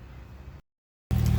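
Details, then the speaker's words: 1995 Nissan 300ZX fully warm, idling after Arduino module workaround for little to no oil pressure, pump holding about 30-45 PSI: low, even idle, steady beat, no rattle, clank or knock that was present before. "Modules installed. There's no rattling, no clanking. Engine is fully warm."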